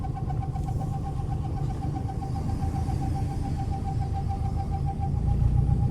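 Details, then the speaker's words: Subaru Impreza EJ after timing belt, water pump and radiator replacement, first drive in six years, in second gear: road rumble with light ticking a few times a second following road speed from the rear; loose rear wheel nuts. "What's that noise? It's coming from the rear, isn't it?"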